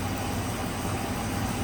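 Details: 2004 Dodge Ram 1500 4.7 V8 idling, showing open loop on both banks, after a new lifter was installed and the rocker arm refitted: a steady, smooth low rumble with no ticking or tapping; healthy, normal idle.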